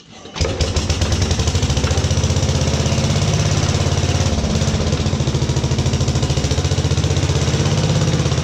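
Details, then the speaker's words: 1950s Agricat mini dozer, rebuilt Briggs & Stratton model 23A single converted to coil/battery ignition and starter-generator, first cold start at about 40°F without choke or throttle linkage: fires almost immediately, settles into steady even thumping idle; normal. "all right so we're gonna do a cold start as you can see it is cold it's about 40 degrees out here in the garage so we're going to try to fire it up now"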